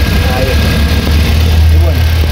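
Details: Great Wall Voleex C30 that would not start with no spark, now idling after replacing the faulty sensor; low steady idle hum, even beat, no knocks or misses; normal idle.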